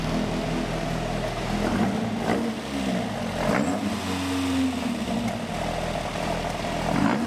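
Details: Ford XR2 crossflow four-cylinder, first fire-up on newly fitted Omex individual throttle bodies replacing a Weber-style carburettor. It catches and runs with uneven throttle blips and rising revs between dips, still rough on the base map. Coolant may have been spilled on the exhaust.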